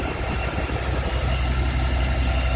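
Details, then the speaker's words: Rocker arms on the swapped motor in a 2002 Chevy Avalanche give a fast, high chirping squeak in time with a steady idle on first start. With the valve cover off, most pushrods were bone-dry and steam was coming out. "like it might be a valve go ahead until this I think I want to pull a valve cover real quick"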